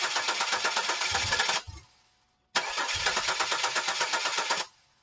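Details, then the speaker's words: 2000 Chevy Camaro convertible, 3.8 V6, 106,000 miles, died in intersection; starter cranks steadily about three turns a second without starting spray but never catches; crank no start, owner suspects fuel pump, test showed no fuel. "we're going to start the car with nothing in it thank you foreign but no start"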